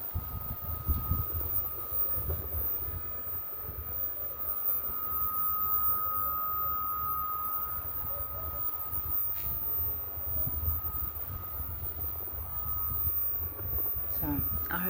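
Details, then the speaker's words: Solis solar inverter gives a thin, steady high-pitched whine over low background rumble, audible indoors with doors closed; quieter now on a not very sunny day, much louder when hot and sunny; cause unknown. "you've asked me to take a video of the inverter to demonstrate the noise it's making um if we're standing here this far away from it it's very noticeable in real life"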